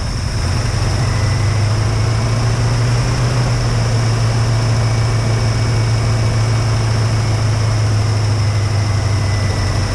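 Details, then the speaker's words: 1969 Ford Mustang carbureted V8, first start after fuel issue: steady, fast, even idle with deep low drone that never settles; hand-choking didn't bring it down. "Okay, well, it runs. Idle is way too high. Tried to choke it out with my hands, but it just wouldn't go."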